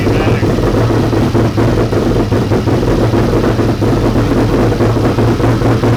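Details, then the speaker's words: 1992 Ford F150 prerunner, first start after a five-year build: choppy, uneven low idle beat that never settles; rough running, owners suspect fuel system issues with the regulator and fuel rails. "there's a few little hiccups that we have to deal with within the fuel system with the regulator and the fuel rails"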